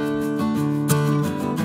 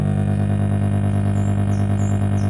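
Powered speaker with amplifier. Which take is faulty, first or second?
second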